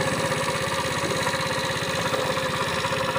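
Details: Tao Tao scooter revived after sitting neglected for years, idling while warming up: steady, fairly quick ticking knock over the exhaust beat, sounding internal, possibly top-end wear; replacement cylinder, piston, wrist pin and gaskets were bought.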